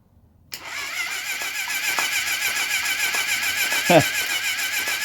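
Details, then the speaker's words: 1980 Honda CB750F barn find, first start attempt, compression test on cylinder number two: quick, light starter churn about 3.5 beats a second that never catches, gauge reading zero. Low compression; rings suspected, oil added to test. "I ain't got no compression there uh I say we just don't even continue let's put a drop of oil in here see if that'll help"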